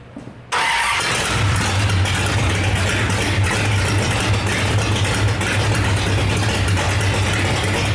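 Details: 1968 Dodge Dart project with 5.9 Magnum V8 (aftermarket heads, big cam, tunnel ram), first fire-up in about ten years with no exhaust fitted: starter crank, then a loud open-piped, steady, even beat with no knocks; normal running without exhaust.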